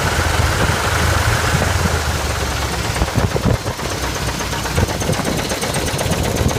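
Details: 1979 Chevy K5 Blazer, 350 V8, idling: low rumble with a repeating knock; owner unsure whether it is the flexplate or the engine.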